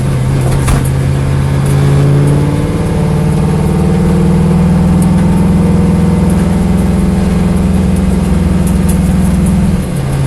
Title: Corvette Engine Misfire